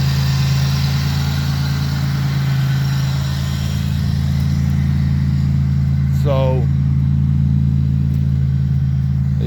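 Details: 2002 Pontiac Grand Prix V6 that seized and wouldn't start (only clicked), now freed, with fresh oil change and new spark plugs, idles with a smooth, steady low hum and no knocking or stumbling.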